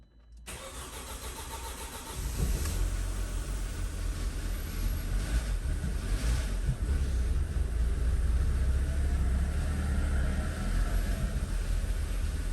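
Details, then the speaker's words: 2007 Audi A4 2.0 FSI, 141K miles, first start after engine removal and rebuild for low oil pressure: a couple of seconds of labored cranking before it catches into a rough idle that struggles to hold; sounds like it's not getting fuel. "it almost sounds like it's not getting fuel"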